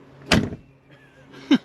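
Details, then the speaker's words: Solid deep thud then lighter click as the door of a 1985 Ford Mustang GT barn find (18,000 original miles) shuts cleanly, though the door had been sprung when the car rolled away with park brake off; normal door closing. "Yeah, door shut good. You hear how that thing closes?"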